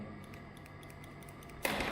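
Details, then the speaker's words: Fuel additive (FAP) dosing pump tested on bench with 12 V stabilised supply pulsed quickly; light sharp clicks in quick irregular pairs, one stroke per pulse, showing the pump actuates and works normally. "być słychać takie cykanie przesunąć i że możesz przesłuchać o wtedy wiemy że ona działa"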